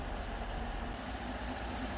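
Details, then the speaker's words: Normal idle, low even V8 burble with no ticking, of a 2014 Chevy Silverado 5.3 V8 after oil pump replacement for code P06DD; solenoid commanded on, about 38 psi gauge oil pressure. "so right now the solenoid is on and we're running at about 38 pounds of oil pressure 38 psi that's not absolute oil pressure that's gauge pressure"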